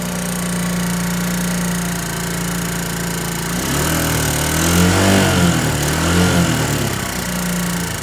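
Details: SYM XS125 motorcycle engine: steady idle with a dull knock about three or four times a second that grows louder as revs rise; owner says it's surely not valves or chain, source unknown.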